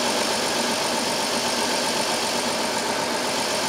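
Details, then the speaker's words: 2002 Chrysler Town and Country 3.3L with code P0305: uneven idle with an irregular stumble against steady background hiss, a bad dead miss on cylinder 5, checked next for spark at the rear coil. "I love its it or not it's got a pretty bad Miss but the dead miss"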